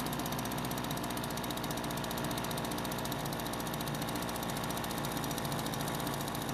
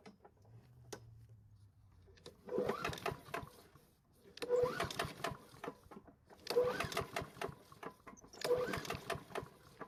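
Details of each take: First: Kawasaki-branded leaf blower two-stroke, spring start-up after storage: steady high buzzy drone at even speed with no stumbles or knocks; running normally. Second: Small engine at its spring start-up after storage, pull-started: four separate pulls about two seconds apart, each a rattly burst with light metallic clacks and a slight clanking on the pull; it did not fire, and the clank's source is unclear.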